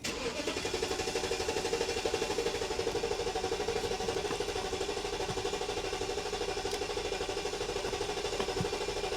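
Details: 1997 BMW 740i with oil-fouled plugs after valve cover gasket replacement, mic on chest: over nine seconds of rhythmic cranking at about two and a half beats per second without firing; hard start, later stalls.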